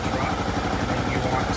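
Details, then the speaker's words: Kawasaki KLR650 single-cylinder after MegaCity Performance carb correction kit install: steady thumping idle with even pulses, rising as the mixture screw is backed out from the idle-drop point toward peak rpm, then an eighth turn more. "loosen it until it comes back up and then once it does at peak rpm i want to go about another eighth of a turn"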